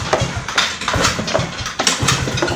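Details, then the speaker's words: Mio-type scooter, kick-started cold: uneven thumps, catches briefly but never settles into a run; hard starting only when cold, runs fine once warm, plenty of fuel present; caused by tight intake valve clearance. "Ayan parang mag parang mago siya ng ayaw Ayan kahit anong gawin ko aan ayaw tumuloy ayaw"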